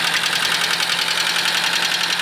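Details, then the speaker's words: 1983 Nissan Skyline RS Turbo DR30 sedan, low mileage original FJ20 turbo engine, engine noise noted on auction sheet, running on booster battery: fast light metallic ticking over smooth idle; suspected head problem, possibly a valve touching. "The first thing you'll notice is the engine is making a tickety sound. I believe that comes from some problem in the head. Sounds like a valve is touching."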